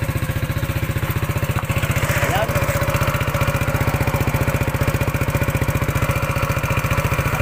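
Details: Yamaha NMAX 155 at idle: a fast, even clatter rides over the deep thumping exhaust beat from the noisy engine.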